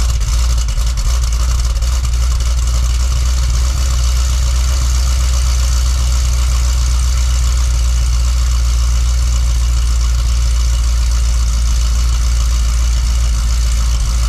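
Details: Cadillac CTS-V Wagon V8 cold start with factory mufflers (cutouts closed), after a bank 2 fuel trim code and suspected misfire: deep, even idle with a steady, smooth exhaust beat, no stumble; normal idle.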